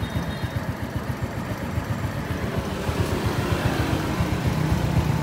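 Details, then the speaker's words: 2006 Honda Wave "Xương Cá" ("206 sườn xám") motorbike with its original engine: the small single-cylinder idles with a soft, regular putt of about four beats a second and no clatter. A smooth, healthy engine. "Ừ, 206 sườn xám, máy êm cực kỳ luôn."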